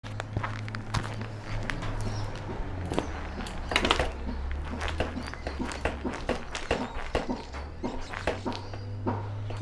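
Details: Fox Float RP23 Adaptive Logic rear air shock on a mountain bike gives sharp uneven knocks on rebound after earlier stiction; bushing replaced 5 months ago, bearings 3 months ago, pivot bolts tight; cause unknown, service due.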